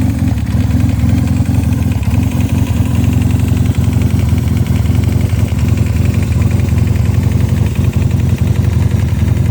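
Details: 1986 Honda CB450S PC17 idling roughly through loud custom wrapped headers and SC Project mufflers with pod filters and 140 main and 35 pilot jets, with a dull knocking about four beats a second under the exhaust; cause unknown.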